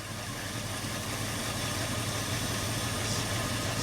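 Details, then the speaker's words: Ford F350 cherry picker truck, hard starter, first run in about a year after six minutes of priming and cranking: steady, quiet hum with an even beat and no misses, smooth healthy idle; slight valve tap noted. "Smooth as whiskey. She's quiet, too. I'm actually Is that even running? Runs like a Toyota."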